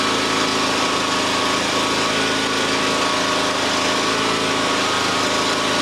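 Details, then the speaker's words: John Deere X350 lawn tractor that would not start, after fitting a new replacement module: steady, even buzzing run at constant speed with no misses, knocks or surging; normal idle. "Well, everything works now. Got a fresh module in there,"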